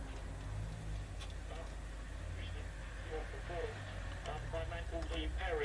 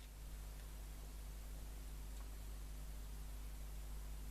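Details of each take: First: Bush VHF61 valve radio, circa 1960, revived after long storage in a garage/shed, tuned to VHF band: faint station audio under steady hiss and low hum, weak VHF reception; recap did not cure fault, a failed valve involved. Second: Bush VHF61 valve radio, recapped, warmed up: stations stay silent, only a steady low hiss over faint hum; no reception caused by a failed first IF valve.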